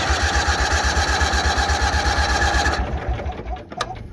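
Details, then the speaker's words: Bolens HT-23 garden tractor with straight-pipe exhaust in about −6 °C cold, getting hard to start: steady cranking chug about two and a half beats a second that never catches; flooded engine, raw fuel from exhaust, ignition suspected. "he's flooding herself out that's just raw fuel coming out of her that's what it looks like"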